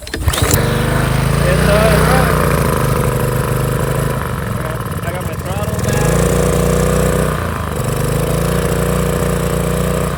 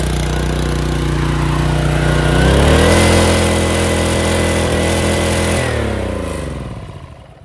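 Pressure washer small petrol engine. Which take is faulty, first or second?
second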